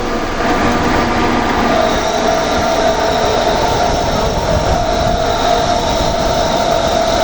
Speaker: Ô, galera, aqui tem um ventilador que tá fazendo barulho, ó. Vou trocar ele, certo?